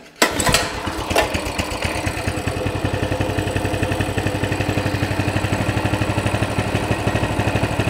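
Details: Coleman CT200 mini bike, non-adjustable carb, throttle return spring disconnected: the engine starts, then settles to an even single-cylinder putt at about 1490–1600 rpm. The target is 1700 and the reading fluctuates. The centrifugal clutch no longer turns the wheel, giving a normal idle.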